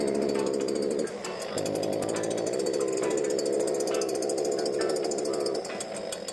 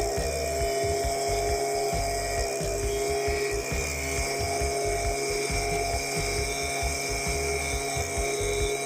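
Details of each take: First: STIHL BG86 hand blower that starts and runs but won't rev up or make power: two-stroke buzzes at a flat, strained speed and dips instead of climbing, caused by a completely clogged spark arrester screen. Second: Stihl BG86 handheld blower that wouldn't rev up, after carbon was cleaned off and before carb adjustment; high buzzy two-stroke whine held steady and revving freely, sounding much better.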